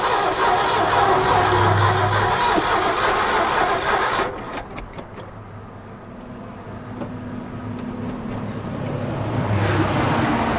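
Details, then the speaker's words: Abandoned 1969 Ford F100 sat over 30 years: steady rapid cranking about three and a half beats a second, never catches; no fuel being pumped, suspected bad fuel pump or stuck carburetor float, not confirmed. "Okay. I don't hear it pumping nothing yet. Still no fuel. Fuel pump may not be any good, or it could be just the float stuck on it, or Yeah."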